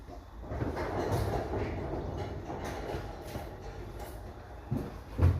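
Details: Bakkie after fixing an exhaust leak: steady low idle rumble with no puffing or ticking from the exhaust, a few dull thumps nearby; normal idle.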